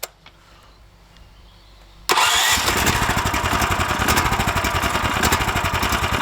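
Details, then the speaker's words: New Lifan LF390QE Pro single-cylinder engine on a flail mower, key-started outdoors on a cold day with fuel on, choke on and throttle off: catches at once and settles into a steady, even thump; clean, normal start and idle. "but this is perfect started up first didn't even turn over once hardly and it fired up"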